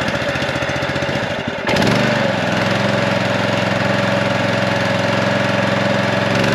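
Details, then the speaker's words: Honda power washer engine that hadn't run in a long time, started on fresh gas with choke on and throttle mid: rough cranking catches, then settles to a steady, even note with no misses or knocks; runs great. "yeah well it runs great guys so let's go ahead and take the pump off this thing and see what we're going to have to do to convert it over"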